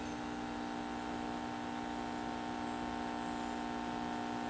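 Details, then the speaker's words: 1951 GE 512F transformerless vacuum tube clock radio being brought up on rising voltage, about 120 mA, no antenna, tubes starting to conduct: steady low filter hum with no program audio. "hum is definitely there. Okay, we're getting conduction."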